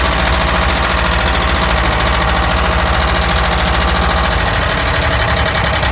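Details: ZAZ engine knock, checked by pulling spark plug caps: uneven tapping about three to four per second over a busy idle; source cylinder not yet pinned down.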